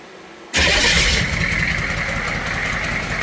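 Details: Humvee H1 6.2 diesel with the intake manifold off, starting after a fuel injection pump rebuild kit to fix a leak; it catches quickly, then settles into a steady, even clatter and a smooth, normal idle.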